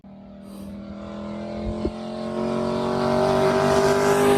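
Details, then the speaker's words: LS-swapped Camaro V8 with new 3-inch X-pipe exhaust, no mufflers, after repair; smooth V8 note climbing steadily in pitch under throttle, clean and even, no knocks or misses; healthy acceleration. "This sounds way, way better. It's a long trip back from Mexico, but how could you not love that?"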